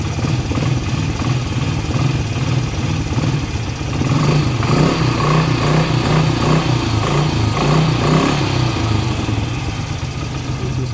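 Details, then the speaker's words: ATV with earlier rustling noise from the CVT variator, restarted after disassembly with the belt found in good shape: steady idle and blips with no rustling or whirring from the belt drive; owner suspects a worn bearing caused the old noise. "вот мы сейчас завели послушали реально звуков никаких нету как раньше было"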